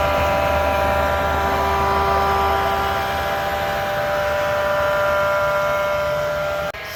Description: This is what it sounds like when the bearings are going bad on a Chinese diesel heater also known as a diesel air heater diesel park heater.